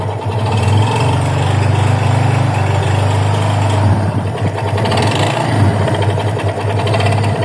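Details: 2021 Yamaha FZ25 single-cylinder motorcycle at idle: coarse, uneven mechanical clatter over the low exhaust beat; owner unsure whether it's normal, cause unknown.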